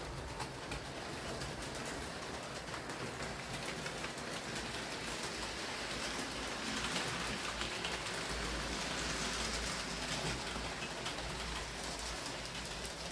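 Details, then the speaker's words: Hornby R2857 Black 5 model locomotive after repair of mangled pickups, drawbar and wiring and regreased gears: quiet, even whirr and light rail clatter on the layout with no stutters or surges; runs smooth and stable. "nice running locomotive in the end though uh it seems to be pretty smooth and stable"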